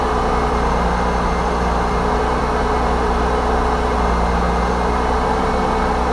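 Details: Mercedes C230 Sport salvage project, started during teardown to check air canister seals: low, even idle hum with a steady beat, no knocks, ticks or leak hiss; idles smoothly and sounds healthy.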